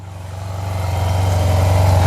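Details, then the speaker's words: Neglected Yamaha TMAX maxi scooter under restoration, just booster-started, little fuel, no engine lights: soft even putter at steady idle, no misses or tapping, quiet, not apparently burning oil; normal idle. "Really quiet, doesn't seem to burn oil."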